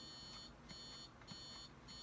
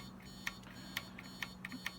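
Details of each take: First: TRS-80 Model I keyboard key switch under continuity test: several short even beeps then cutting out to scattered clicks as the contact opens again when plunger bottoms, bouncing or unknown; intermittent switch contact. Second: TRS-80 Model I keyboard key switches tested in a jig with a meter: short, sharp continuity beeps about every half second over a low hum, each a clean chirp as the plunger closes the switch; the contacts test good.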